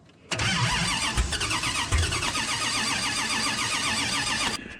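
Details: Dodge Charger with a 505 stroker big-block on first start attempt, fuel dumped into the carburetor, wiring just checked: starter spins the engine evenly and rapidly for about four seconds but it never fires; cranks, no start.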